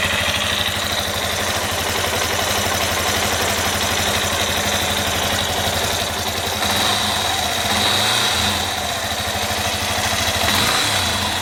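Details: Yamaha Fazer 250 at idle with a sharp, rapid ticking about four times a second from inside the engine; engine knock, owner suspects connecting rod, unconfirmed.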